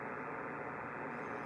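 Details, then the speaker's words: Yaesu FTdx5000MP HF receiver on 20–10 m while testing its noise blanker: harsh, steady raspy buzz burying signals. Arcing noise from a power line pole next door, worse after a hard freeze despite earlier utility repairs. "this video is about noise reduction not digital noise reduction noise blinker as in that horrendous AC that you're hearing there and if you look up here on the scope you can see it"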